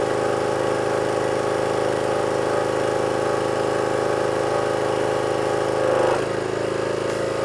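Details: Petrol power washer that previously would not run off choke, after repair with water flowing and new lance; steady even buzz with no surging or stalling, settling slightly lower, running cleanly with choke off.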